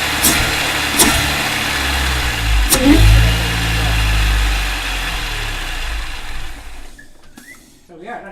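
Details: 2003 MINI Cooper S R53 supercharged with new Alta Performance cold air intake: fires, revs up strongly and settles back cleanly with a smooth, even note; healthy.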